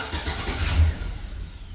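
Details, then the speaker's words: Silverado with ABS, brake and other dash lights on and no power windows or lights, cranked with the aftermarket radio plugged in: a short low groan of turning over that fades without catching. Cranks but won't start; unplugging the radio lets it fire. "now the truck doesn't even want to fire it up."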